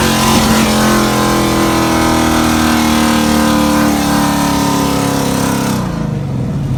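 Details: Second-gen Camaro with ZZ430 V8, first drive after repairing a misfire: the engine pulls cleanly with a steady, evenly rising note and no stumble or miss under load.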